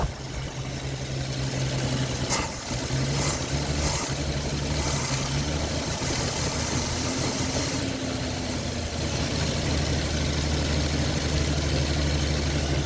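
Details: Ford XP Falcon six, first run after 35 years sitting, carburetor bowl primed by hand with fuel not yet hooked up: steady, even low idle with smooth drone, no knocks or misses, until it runs out of fuel; normal idle.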